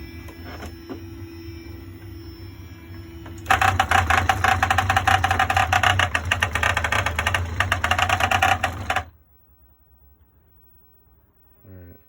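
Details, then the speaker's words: New CNC machine (e4) homing, freshly assembled and lubed; harsh rattling buzz for about five seconds as the axis drives into the corner, then an abrupt stop. Owner suspects the X2 stepper motor skipping, possibly from backwards wiring. "when it got to the corner it sounded like I think that is x2 stepper motor sounds like it was jumping a little bit"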